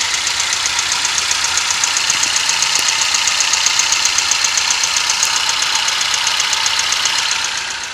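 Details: Toyota 1NZ-FE engine at idle: a sharp, even tick about four per second, an engine knock; the timing chain or VVT-i coupler is suspected.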